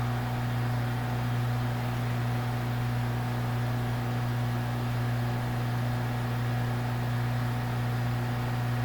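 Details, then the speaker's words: Glass high-vacuum line (used for butane in a gas lab) with diffusion pump, valve on its back side opened before start-up: steady low hum with no change in pump noise, so the diffusion pump is still under vacuum, was shut down properly and has no leaks. "didn't change noise which suggests the diffusion pump is unburned vacuum which means it was shut down properly and doesn't have any leaks"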